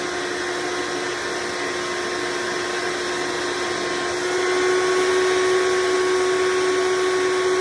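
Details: Hoover Decade Soft & Light Elite vacuum (owned since May 2024), first run after fitting 20-bladed fan impeller replacing 7-bladed, bearings greased: steady motor whine with airflow rush, slight level rise near end; noise mostly reduced, still a little loud.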